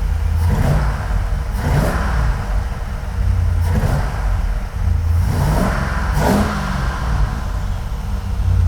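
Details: 1980 Corvette V8 with a Holley 750 carb, revved after adjustments: four sharp throttle blips, each climbing cleanly and falling back to a steady, lumpy idle; the engine pulls crisp and sounds healthy.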